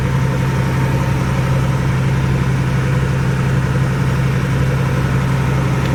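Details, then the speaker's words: Cat 3306 engine after fixing a cylinder misfire that stopped it carrying load: even steady low drone with no skips, running smoothly and carrying load again. "again sounds a lot better so there you go it's running carrying load sounds a lot better that was the problem kind of quick and easy"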